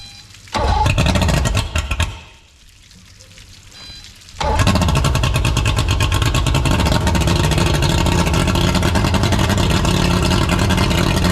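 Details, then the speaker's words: Boat after a swap to a 200 hp replacement engine, first start: it cranks and catches, stumbles briefly, then settles into a strong, even running note with steady firing and no knocks or misses. It runs, though a service is needed. "obviously needs a good service but it runs"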